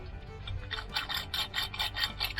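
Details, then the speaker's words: Mobylette/Raleigh AV7 moped engine, stripped because it ran poorly, crank main bearing in the case turned by finger near the microphone: gritty rasping in quick bursts, about four a second. Bearings rough and loose, worn out. "put a light little stick our finger in i'll put it near the microphone you hear how rough they are loose so the other one's going to be the same"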